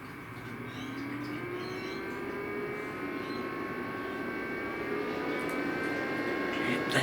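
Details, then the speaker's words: EcoFlow River 2 portable power station: steady fan whine rising in pitch and louder when switched from 240 V to 12 V car input (about 100 W versus 340–350 W); loud cooling fan. "seems louder than that it seems to get louder on the 240 it seems to get louder on the 12 volt input on the car input"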